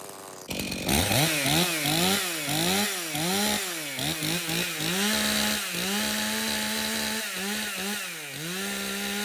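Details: Stihl MS 391 chainsaw, customer-reported no-start, run on fresh two-stroke mix: catches fast and holds a clean idle between crisp throttle blips that rise and fall evenly. It runs healthy; stale watery fuel is suspected as the cause.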